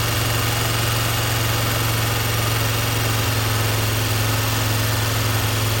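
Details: Audi 100 S4 five-cylinder, first run after head work, no radiator or coolant fitted. Loud, lumpy idle with one cylinder dropping out of the rhythm. Owner suspects pumped-up hydraulic lifters holding valves open; cause unconfirmed.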